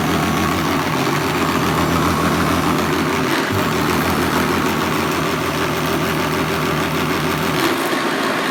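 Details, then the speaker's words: Hoover Commercial C1310 vacuum, newly unboxed, after a replacement belt was fitted; loud steady motor roar with rough, uneven clink-clanking rattle from the brushroll, which shouldn't happen; belt confirmed on correctly. "well this definitely seems to be some issue with the brushroll because it's making a heck of a clink clanking noise which just absolutely shouldn't be doing"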